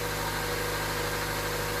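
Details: Honda Civic idling: smooth, even idle hum with a steady low drone and no knocks or misses; normal idle.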